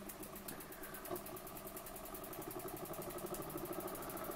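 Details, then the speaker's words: Burnac Vulcan model steam engine under steam, run slowly with a valve limiting the pressure to the piston: soft, even chuffing at about two beats a second, very quiet with no knocks, running well despite a leaking sight glass. "so you can actually run it quite slowly and as you can hear it's very silent"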